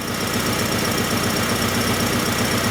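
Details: 1994 Acura Integra 1.8 L DOHC after a cold fast idle valve adjustment fixed its surging idle; the cold fast idle is still a concern. Even, steady firing pulses with no hunting: normal idle.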